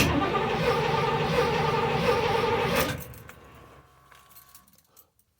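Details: Box Chevy with a misfire problem, battery freshly charged, no priming: steady rhythmic cranking for about three seconds, then it stops; the engine never catches, cranks but does not start.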